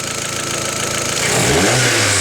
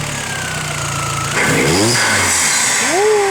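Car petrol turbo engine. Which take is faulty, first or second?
second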